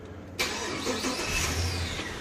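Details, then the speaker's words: Holden VY Series II Crewman Cross 8 after fuel pump replacement: a quick crank catches immediately and settles into an even idle with no stumble and no fuel leaking. Normal start, repair successful. "starts off beautifully no fuel going anywhere that's fantastic job done"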